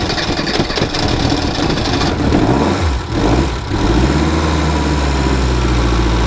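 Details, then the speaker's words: Reliant Robin started in cold weather before replacing its alternator, which fails to charge with lights and heater on. Cranking gives way to a loud, uneven idle as the low battery current starves the ignition, steadying as the charge builds. "basically what's happening even though you can hear it turning over the current is so low in the battery it's taking it away from the ignition system"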